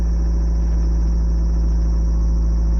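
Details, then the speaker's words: 1985 Toyota MR2 after fixing the dead-cylinder misfire, revving and idling slightly high: deep steady even engine drone, no stumbles, smooth running; unplugging an injector confirms no further fault. "or misfire I guess the sound is very very smooth"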